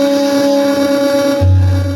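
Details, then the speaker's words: Sony DTC-59ES DAT recorder playing a tape recorded on a Tascam DA-30MK2, about one hour in, after cleaning: steady tones, then treble collapses and a low buzz cuts in; distortion and drops from misaligned drum head azimuth. "Then as we go more and more, it will show more and more signs of distortion and drops and whatever."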